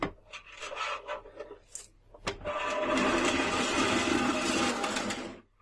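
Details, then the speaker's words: Filament dryer box running: a few sharp thermostat clicks then steady airy hiss of the fan blowing constantly, unlike the silent other dryer; normal operation for this unit. "the phone one doesn't produce any noises while on this one you can hear the thermostat clicking and the fan constantly"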